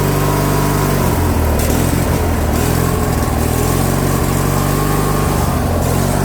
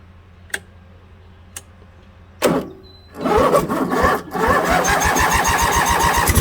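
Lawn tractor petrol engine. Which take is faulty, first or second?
first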